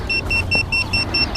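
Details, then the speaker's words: FPV drone after a crash where it lost orientation and would not self-level, with props bent: the lost-model beeper is switched on, giving sharp high-pitched beeps about four per second. "I can disarm it with this knob all the way to the left if I need to turn on the beeper push my knob to the middle there you can hear it beeping"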